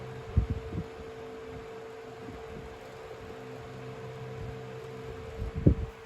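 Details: 1970s/80s Limit Ariel 12-inch oscillating desk fan on high at about 41.5 W and an airflow reading of about 1,239; steady low hum near 450 Hz with a couple of handling knocks. Running smoothly.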